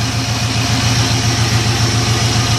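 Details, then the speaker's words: Boat tied up to the dock with the transmission in gear, pushing forward and moving water at the stern: a deep, steady burble with an even low pulse and no knocks or misses; it idles smoothly in gear. "i'll go ahead and put the transmission in gear and we're actually trying to move forward but of course i'm tied up to the dock and we're actually in gear right now"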